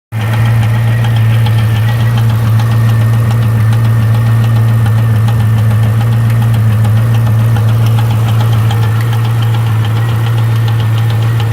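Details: C5 Corvette Z06 V8 at a steady deep idle with a light, irregular ticking or knocking that comes in groups of three. Source not pinned down; owner suspects a valve.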